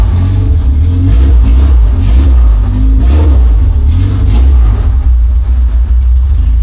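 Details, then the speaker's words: Classic Honda Civic EG with a cracked header weld (shifter also broken): loud, deep, raspy exhaust rumble swelling with each throttle blip, much louder than before; all exhaust gas escapes at the break with a strong smell; exhaust leak. "Kasi maririnig niyo iba yung tunog talaga niya ngayon, ang lakas. Tapos lahat ng exhaust gas nalabas dito."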